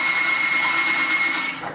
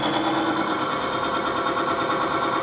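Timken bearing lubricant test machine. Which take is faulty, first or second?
first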